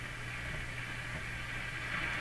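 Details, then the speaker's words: Grundig SO 152 CA console stereo on a bench test, AM band around 740–860 kHz: only a steady hiss and low hum, with no stations coming through. AM reception is weak; cause not found. "so I think the reception is weak that's probably 740 all these stations we should be able to hear them quite quite clearly"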